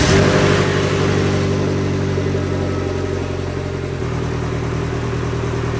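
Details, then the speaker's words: 2022 Vanderhall Venice GTS after engine rebuild, first start on new battery, no coolant so brief run, oil at bottom of dipstick: engine fires, revs briefly, settles into smooth even idle, no knocks or ticks; correctly assembled. "right you know what that means we actually put this engine together correctly we've got no coolant so I can't run it for long sounds good"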